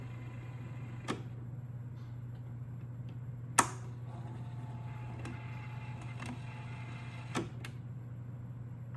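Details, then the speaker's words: Early 1980s Emerson VCP700 VHS VCR in fast forward, tape unthreaded: quiet steady low hum with a few soft mechanical clicks. The transport winds normally. "i can demonstrate fast forward very quiet"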